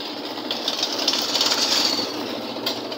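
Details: Automatic washing machine during spin after rinse: loud hissing rattle over the spinning drum with uneven ticks about four a second; technician says a part is not yet fitted, causing the noise. Noise during spin cycle.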